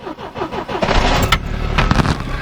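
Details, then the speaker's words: 1981 Triumph TR7 with fuel injection, started right after an oil change (about 5 quarts plus STP): brief quick cranking, then it fires within a second and revs cleanly, a normal easy start. "the nice thing about fuel injection, it starts pretty easy."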